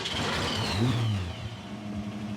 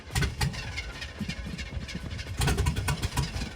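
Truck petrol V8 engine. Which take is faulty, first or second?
second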